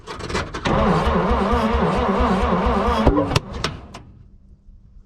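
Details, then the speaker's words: 1951 Dodge B-series truck right after an adjustment: lumpy running, then a loud bang with a fireball from the exhaust and the engine dies; a backfire from ignition timing off. "g to make a weird noise that came out of exhaust yeah that's because it's just still on where i just adjusted that that might be our spot dude let's try that dude there's like a huge fireball right out of the exhaust"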